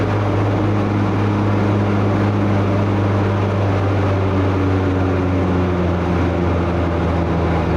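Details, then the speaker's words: Craftsman T110 riding mower after a tune-up (oil, plug, air filter, blades), blades engaged: steady droning hum with an extra constant whine; suspected failed deck spindle or idler bearing, unconfirmed. "that was way too loud i don't know if y'all i'm pretty sure y'all can hear that extra noise there that sounds like one of these bearings has gone either the spindles themselves or one of the idler bearings"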